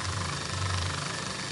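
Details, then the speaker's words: Miyako stand fan that would not oscillate, after straightening the rubbing shaft/lever so the load is lighter: steady, even motor hum with no knocks or catches, now oscillating left and right again. "kita hidupkan lagi nah ini sudah jalan sudah tengok-tengok"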